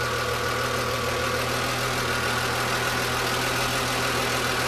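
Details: BMW M3 E36 engine when hot, running without its air pump: a steady warm idle with a faint, busy mechanical clatter over it, source unclear. Abnormal engine noise when hot.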